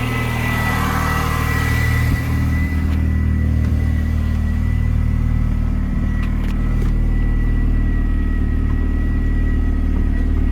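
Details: R53 Mini Cooper S running after new power steering lines installed, assistance restored, no leaks: smooth, even idle with steady low hum, no knocks, whines or pump groan; engine and power steering healthy.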